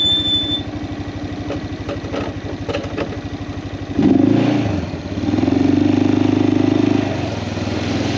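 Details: Kawasaki Prairie 400 single-cylinder ATV after engine rebuild, on a test ride, camera on magnetic base: thump climbs and falls smoothly with throttle, fires evenly, no knocks; runs fantastic; carburetor float still needs adjusting; normal running.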